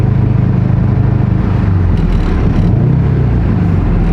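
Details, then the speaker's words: Turbo Subaru with no oil left after one hard pull, oil light steady and losing power: deep, lumpy idle with uneven heavy thumps about three or four a second, engine shaking badly; broken connecting rod. "Look at that idle. Would the car be shaking this bad if it wasn't a rod?"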